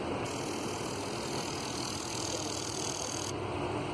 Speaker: when we hit this button for our balance test you'll hear the clicking of the injector firing and the pressure should go down